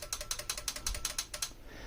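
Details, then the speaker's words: Denon PMA-1500R amplifier under repair with a new transistor, powered through a dim bulb tester. At switch-on, a rapid run of sharp metallic relay clicks, about five a second, then silence as the protection circuit finishes its delay; normal. "transistors so this is normal a protection circuit is uh delaying and you can see relays come up there you go"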